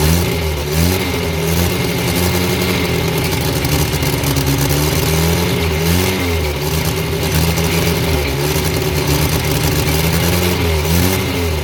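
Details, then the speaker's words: Abandoned Morris Minor after fuel leak fixed, fuel line connected, throttle pulled by wire: steady low engine note with smooth rises and falls on throttle blips, no knocks or misses; runs well. "Right. Got it going. Runs well."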